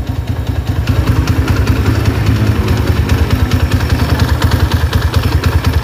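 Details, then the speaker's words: Honda GL100 motorcycle after clutch housing replaced with a smooth-type housing, now starting easily: single-cylinder idle with loose, uneven clunking about three knocks a second, from excessive play in the clutch housing gear teeth. "oke suaranya itu ada jeglok-jegloknya itu dikarenakan dari Gigi house koplingnya mas"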